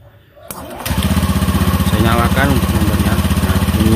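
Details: Honda Beat ESP scooter, never serviced since purchase, with a leaking seal found: electric starter spins briefly, engine catches and runs steady and even at fast idle, no rattles or knocks; running normally.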